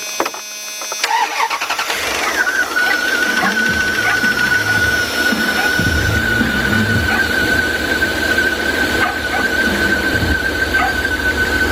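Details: 2000 Dodge Ram Van B1500 with code P0505 idle control system malfunction, component disconnected per diagnostic step: engine cranks, catches and settles to idle with a steady high-pitched tone above it.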